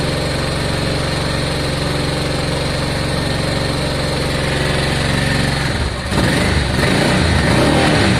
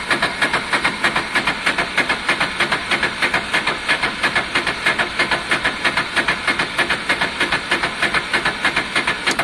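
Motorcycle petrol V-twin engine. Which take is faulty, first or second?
second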